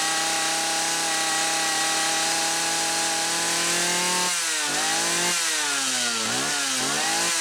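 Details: Homelite 360 chainsaw that wouldn't run consistently, after fixing a misaligned carburetor/intake bushing, carb set about 1.25 turns: a high, steady two-stroke scream that drops and climbs crisply with throttle; normal running.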